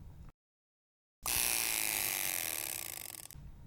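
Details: Soviet Poljot "Cricket" alarm watch, caliber 2612.1 (an AS1475 copy): short silence, then a fast even rattling buzz for about two seconds that fades smoothly; the alarm hammer strikes properly.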